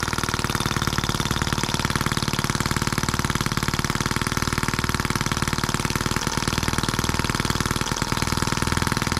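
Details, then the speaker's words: New scale model Atkinson-cycle engine (M14/EM1) out of the box, oiled and fueled, no throttle, after a little carburetor adjustment: fast, even single-cylinder firing beat, no misses or stumbles; running clean and well. "what a cool little engine I like it it runs well and we didn't have to do anything with it except unbox it"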